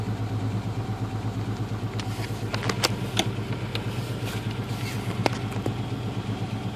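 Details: Ford Ranger 2.9 with power loss, at startup, heavy smoke smelling of antifreeze, running slightly hot, no cabin heat despite full coolant and new thermostat: uneven lumpy idle with wavering low throb and occasional sharp ticks; rough idle, cause not found.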